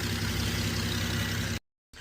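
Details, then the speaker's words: Infiniti FX idling steadily after a no-start with U0101 code: even idle without knocks or misses, cutting out briefly near the end. "So, I wonder if this right here is causing an issue. It looks like it's doing okay right now. Maybe because of this. It has a good ground."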